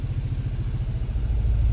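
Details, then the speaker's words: 2019 Kia Rio four-cylinder in drive, shaking violently with flashing check engine light and power loss: lumpy, uneven choppy rumble from misfires on cylinders 2 and 3 (P0302, P0303); spark plugs worn with oil consumption signs. "P0302 and 303. So cylinder number 2 and 3 misfire."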